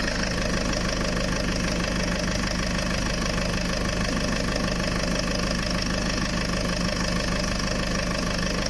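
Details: Land Rover diesel idling after cambelt, water pump, power steering pump and turbo hose replacement, being bled; steady, even light clatter with no misses or odd knocks. Normal idle.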